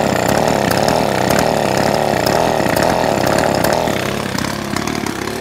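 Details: Ryobi SS30 30cc straight-shaft trimmer after fixing a primer bulb that wouldn't fill with gas: loud, buzzy two-stroke howl holding steady at high revs, then easing off slightly; starts and runs cleanly; normal running.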